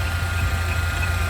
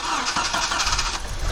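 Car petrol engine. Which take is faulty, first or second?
first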